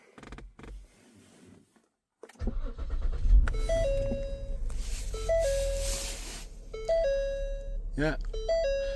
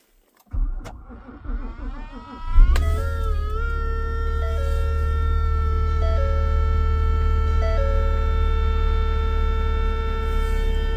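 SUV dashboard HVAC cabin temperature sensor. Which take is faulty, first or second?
second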